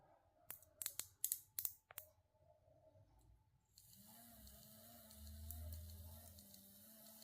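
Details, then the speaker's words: Black Forest Hansel & Gretel cuckoo clock movement under restoration, suspected chain sprocket fault: a few crisp ratchet clicks, then a smooth, even whir. The sprocket that would not work before now works properly. "If I let go the bird still working. So hopefully something went all right somewhere. And this is working properly."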